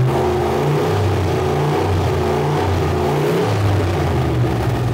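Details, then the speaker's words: LS V8-swapped widebody Porsche 911 with cooling fans now working and coolant around 180°F: strong, even rumble with clean revs and a smooth return to idle, no knocks or misses. The engine sounds healthy. "healthy guys she's healthy I love the ls I just love it"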